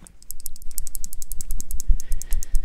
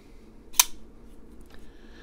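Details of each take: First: Damned Designs Djinn ("The Banana") folding knife shaken near the microphone: quick, sharp metallic ticks, about ten per second, from a loose internal rattle; owner unsure whether from the knife's back end or the bearings, before disassembly. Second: Damned Designs Djinn flipper knife after disassembly to chase a rattle, re-oiled and reassembled: single crisp snap as the blade flicks open and locks, faint click, no rattle; action smoother than before, normal flipper action.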